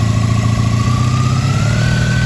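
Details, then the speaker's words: 1983 Honda V45 Sabre VF750S just after a fuel leak repair, choke on and being turned back: a smooth, even, slightly raised choke idle with a faint rising whistle, no misses or knocks. No fuel leak is seen. "Choke's on. Turn choke back a little bit."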